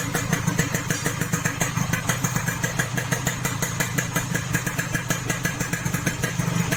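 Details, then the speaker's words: Yamaha RX King two-stroke after fixing a shaved piston with boring, size 175: crisp, regular popping at idle with no grinding or rough knock, much smoother than the harsh sound before; normal idle. "Ini lebih halus ya bro suaranya bro, ketimbang yang sebelumnya."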